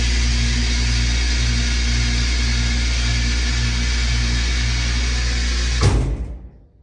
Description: Looking for comments from elevator machinists as to what is causing the clunking sound at the end of a cycle.